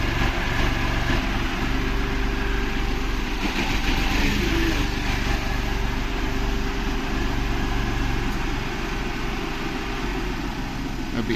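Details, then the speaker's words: Renault Kwid three-cylinder at idle with AC on: uneven stumbling beat and shake, third cylinder misfiring (phat-phat) with check-engine light and low pickup; fuel pump already replaced without curing it, idle normal once AC is switched off. "And same problem कर रहा है जैसे मैं अभी दिखा दूंगा AC चलाती फट फट फ मिस फायर कर रहा है"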